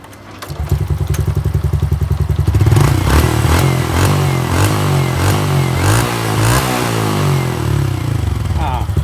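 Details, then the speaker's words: Honda Wave 110i that stalls when wet, started after its spark plug area was blown dry: brief crank, then the single catches cleanly and revs rise and fall evenly with no misfire; normal start and revving when dry. "ตอนนี้ผมเป่าลมมันแห้งแล้วนะคะเดี๋ยวจะมาเราสตาร์ทให้ชมมาชิม"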